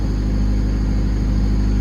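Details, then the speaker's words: 1995 Honda Civic coupe on its first cold start after replacing the idle air control valve, check engine light still on. Loud, steady, deep drone held at raised speed with no dip. Cold-start fast idle suspected, not confirmed. "Or it's probably because it's a cold start. I haven't started the car yet, so this is the first time starting it, so we'll see once it idles down."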